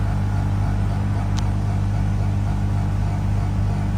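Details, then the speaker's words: 2014 Toyota Venza heater blower running with heat on: steady low hum and drone, vibration felt; owner believes the blower motor is failing and replaces it. "noise that's what that is here let me shut it off here turn it on and I can physically feel it vibrating so yeah I do believe it's the blower motor"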